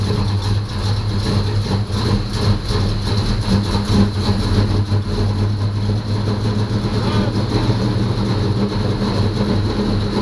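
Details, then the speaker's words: 1985 Chevy C10 short bed, bought not running, first run after starter replacement, long tube headers, makeshift throttle, oil nasty: heavy, fairly even low rumble, no obvious knock, rough from sitting; it runs. "yeah it runs but I made a mistake I didn't check the oil"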